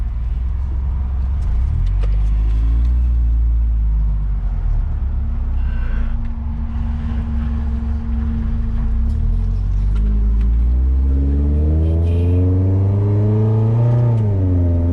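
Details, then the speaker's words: 5th-gen Honda Prelude test drive after fuel filter replacement: engine drone climbs only slowly under throttle and sags back near the end, labouring without pulling; still bogging with little power, a problem shared by quite a few 5th-gen Preludes. "Just bogs down. Just feels... bogs down. Doesn't feel like there's much power."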